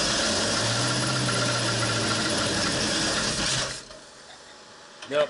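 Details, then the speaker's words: 1968 Ford Torino FE 390 at first start after an Edelbrock top-end kit rebuild. Lumpy, uneven idle stumbling about every half second, like a dead cylinder, then it dies. A held-open valve was suspected; erratic distributor ignition timing: misfire from faulty distributor. "not right yeah and it sounds like it's got a dead hole like maybe we've got a valve that's being held open"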